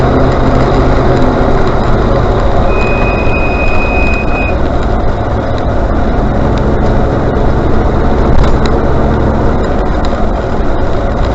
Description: A video showing how much brake squeal my RRC currently has.